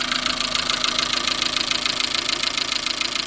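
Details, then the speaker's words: Chevrolet Matiz after engine rebuild (valve stem seals, head gasket, skimmed block), warm idle, bonnet open at front: fast steady light ticking about three or four a second; owner suspects a tensioner or pulley, oil level fine. "I don't know if you can hear that, maybe it sounds a bit more tappy, or maybe it's just because I've not had the car for a while."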